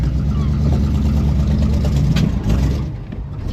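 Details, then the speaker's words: Pontiac Grand LeMans V8, first run after years off the road: deep uneven beat with a lumpy pulse near three per second that stumbles as revs rise; owner suspects ignition timing, carb also needs sorting. "That sounds more like timing to me. Right, let me have a quick play with timing and see where we can get to."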